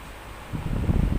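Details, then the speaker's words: Repaired electric fan running at speed 2 then 3 to check for noise: even airy whoosh with no knocking or ticking; earlier clatter was caused by a broken rotor back spacer/stopper, not the bushing, now fixed. "So check natin kung hindi na talaga maingay. Speed two, speed 3."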